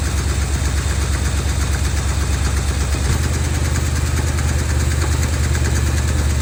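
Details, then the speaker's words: 1970 Dodge D200 V8 truck, vacuum hoses plugged with screws: idle beat rises and falls instead of holding steady; idle hunting, possibly lean after popping through the carburetor, cause unconfirmed. "it's surging a little bit so I noticed when it popped through the carburetor that it's possible that it had a lean pop"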